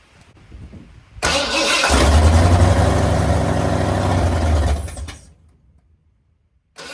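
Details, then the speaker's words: Mildly built 351 Windsor swapped into 1980 Ford F-150, carbureted, after oil change: starter spins engine evenly about four seconds, never fires; owner suspects fuel pump not working, crank no start. "last squirt hope it works I'm wondering if my fuel pump put working I hope not"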